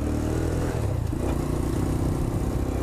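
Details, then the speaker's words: X-PRO 125cc Chinese sportbike, new and being broken in on its first run, riding under load; steady buzz with a loose, chattery rattle over the exhaust, owner suspects cheap plastics vibrating and possibly tuning: vibration rattle. "this bike is actually not bad it vibrates a lot it could just be a tuning issue on my end but I think it's just because it's the cheap plastics and everything that just vibrates the crap out of it"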